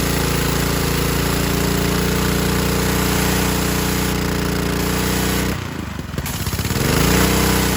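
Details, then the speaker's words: 2015 Ryobi 3100 PSI, 2.5 GPM pressure washer with Honda GCV190, air filter off: after carb cleaning and idle-down cable adjustment and lubrication, a steady drone sags briefly then holds even. It runs properly where before it would die. "yeah it worked before it wouldn't do anything like that it would just die so combination of maybe dirty carve that that the wire was misadjusted"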